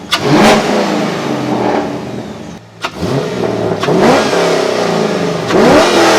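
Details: C5 Corvette V8 revving warm after a Callaway Honker intake install, run at minimum 176° for 5 minutes, shut down, then restarted; deep blips rise and fall crisply and evenly, sounding healthy with a throatier intake than the previous one.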